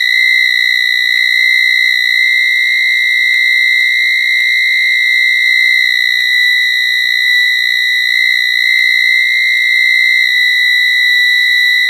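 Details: Piercing steady whistle with fainter higher tone and soft ticks every second or two from a 1980s microwave after five blackouts in a week; continuous high-pitched tone, cause unknown.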